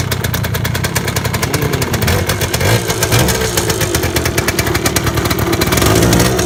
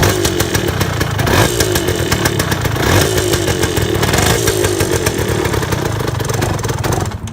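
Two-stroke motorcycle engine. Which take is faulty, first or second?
first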